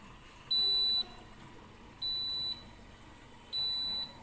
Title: easy fix for Siemens dishwasher with a beeping sound